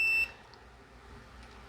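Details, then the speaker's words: Fan motor (pedestal/floor/table) speed-winding test with multimeter, black line, red low, yellow second, white third: short steady high beep showing continuity across all three speeds; windings intact, though the line test indicates a short. "first we see that there is continuity. Here we are hearing that the three speeds do have continuity,"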